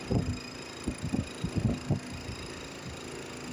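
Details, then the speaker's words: LG inverter air conditioner indoor unit BLDC blower fan motor vibrating: irregular low thumps and rattles over steady fan hum. "O problema é só o motor esse motor dessa turbina aí que tá que tá me trepidando"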